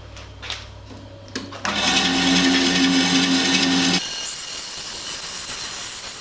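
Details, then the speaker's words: Bandsaw running with a wavering low whirr and rough rattle; the top (upper) blade guide bearing is worn out, causing the bearing noise. "did you hear that bearing noise in the bandsaw the top bearing guiders is worn out"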